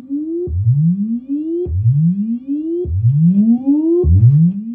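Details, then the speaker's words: 1961 Fender Showman tube amp on the normal channel, signal generator sweeping up to 800 Hz. Rising test tones with low rumble ("thunder") and a little crackle under each: noisy, scratchy tone controls. "We have a little bit of noise in your tone controls. A lot of thunder on that normal channel. Some noisy controls."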